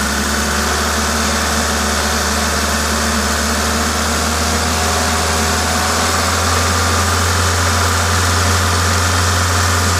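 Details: Toyota 2ZZ-GE engine at a normal idle, even and smooth at constant speed; the steady hiss comes from an induction kit; no knocks or misses, healthy.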